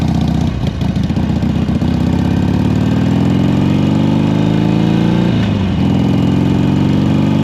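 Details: 2007 Harley Sportster 1200 Custom after no-crank and oil leak repairs, fuel possibly low or old: strong even V-twin lope with brief rev and drop back, no misses or knocks; idles steadily and healthy.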